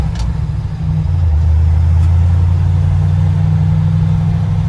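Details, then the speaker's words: Truck on its first drive after swapping the Eaton 4.56 rear axle for a 14-bolt with 3.73 gears: smooth low engine drone rising and settling through the gears, no rattles, clicks or clunks from the driveline; healthy. "far so good here no weird rattles or clicks or clunks or anything the brakes feel okay"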